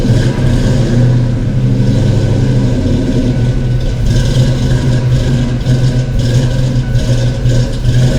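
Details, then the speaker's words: Ford 5.0 small-block V8 Foxbody Mustang, rebuilt Kenne Bell 2.1L supercharger, 42 lb injectors, bigger MAF, first start, held on throttle: loud, uneven lopey beat; cylinders 2 and 4 cold, possibly two dead. "So, upon further investigation, cylinder 4 and cylinder 2 are cold. 1 and 3 are hot, and 5 through 8 are warm."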